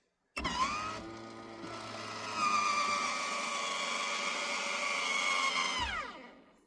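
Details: Maxx Air roof fan in a camper van after motor overhaul and replacement to cure squeaking: steady even whir spinning up and down with no squeak; normal operation.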